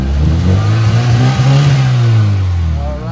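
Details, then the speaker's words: Mitsubishi Lancer after misfire repair: distributor centered, TPS adjusted, air-fuel mixture reset to 2.5 from 2.9. Light acceleration gives a strong, smooth rev that climbs and falls cleanly with no stumble. Loose compression had been suspected. "So ngayon ito na yung resulta ating adjustment anan sa maliit na acceleration pa lang ayan ayan na oh ayan na yung andar ng makina ngayon"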